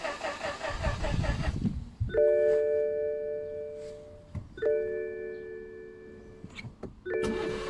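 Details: 2013 BMW 318d turbo diesel, 140 hp, drove fine, an hour later starter spins the engine in repeated short bursts between warning chimes but it never fires; owner unsure whether battery is low.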